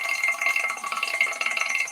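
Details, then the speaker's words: Woodturning lathe, gouge forced into the workpiece with too much weight behind it: fast, harsh rattling chatter and bounce; tool chatter from forcing the gouge, which also heats it. "you can hear it that's because i force the gouge to cut if i can make it cut freely and easily and not force it no bounce"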